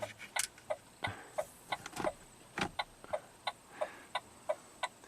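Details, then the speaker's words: 2008 Saturn Astra with battery at 11.5 V: sharp uneven clicking about three a second as door locks actuate erratically and a relay clicks when lights are switched on; electrical ghost fault. "and then sometimes the locks just decide to do whatever you turn the lights on you hear the light the locks going like click click click click click click"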